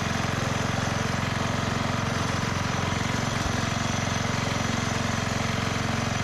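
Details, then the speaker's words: 1991 MTD 12/38 riding mower, received free and getting a rattle-can restoration, just fired up: an even single-cylinder thump at about three per second, holding steady without stumbling or hunting. Normal idle. "that was mildly impressive that thing just fired right up okay that's pretty exciting"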